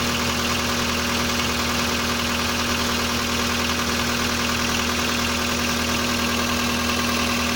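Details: Volkswagen Polo Sedan CFNA engine, 193,500 km, cold start at −30°C: a steady idle with a fast, even light ticking about three times a second; owner hears only hydraulic lifters and no piston knock. Cause suspected, not confirmed.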